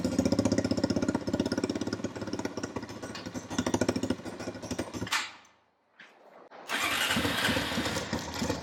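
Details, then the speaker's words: Honda TRX350 ATV after carburetor cleaning, still won't rev: cranks and catches with an uneven stumbling beat, dies, restarts ragged; owner suspects too little back pressure for the slide without a stock air filter, or valve adjustment. "I think what's happening is there's not enough back pressure for this slide to lift up."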